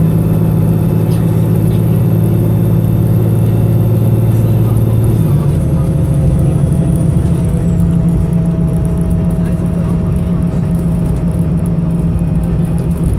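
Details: Arriva North West 3008 (MX59AAY) VDL SB200 bus diesel under full-throttle thrash, recorded December 2017: pulling hard under load with uneven, lumpy drone, engine misfiring.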